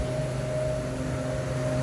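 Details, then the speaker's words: Walk-in cooler (nine-glass-door convenience store box) after a large refrigerant leak was found, repaired and the system recharged: steady low hum with a clear constant tone, no rattles or surging; box temperature coming down, refrigeration running normally. "okay we're back up and running systems charged it's coming down in temp getting cool in here"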